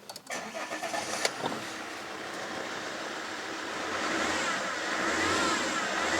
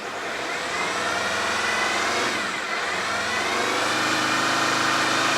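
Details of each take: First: Alfa Romeo 159 2.4 JTDM five-cylinder turbo diesel, field find off road nearly five years after timing belt failure: catches after brief crank, revs smoothly and cleanly with no big smoke cloud, smoke reduced with use. Normal revving. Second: Alfa 159 off the road for years, after a cleaning job: repeated revs top out at 3000 rpm and will not go higher; the cause is unknown.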